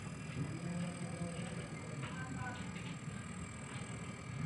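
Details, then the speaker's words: Refrigerator inverter compressor run on a homemade tester instead of its original inverter: low even hum with light mechanical tick, no knock or rattle, current rising to 0.5 A; normal running. "Ayan guys, natumandar na rin po itong ating compressor. So ayan, umaangat na po ang current."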